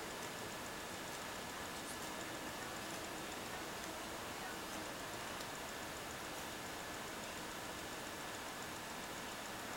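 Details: Alienware M17X R4 laptop optical drive ticking while reading a disc, faint irregular tick-and-pause rhythm over a steady hiss; ticks nonstop when paused, happens with all discs.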